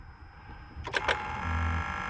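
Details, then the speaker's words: Cranking a 2015 BMW X3 with N55 engine, microphone close to the Valvetronic actuator: two sharp clicks then a steady buzzing motor whir, the telltale sign of a failing Valvetronic eccentric shaft actuator motor, which feels frozen up. "hear it that is The Telltale sign of this thing messed up"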